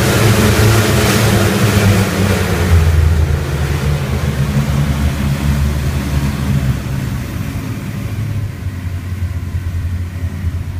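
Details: Rotec R3600 engine on test-stand dyno after mixture leaning (10–11 L/h) and magneto checks; deep steady rumble easing slightly as throttle settles, even firing, no misses or rattles, healthy.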